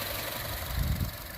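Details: 2015 Chevrolet Cruze turbo idling after a turbo coolant return line repair and a drive around the block. The cooling system should be fully pressurized, no leaks, no coolant top-off needed. Short, steady idle with a smooth low hum, no knocks or ticks; healthy.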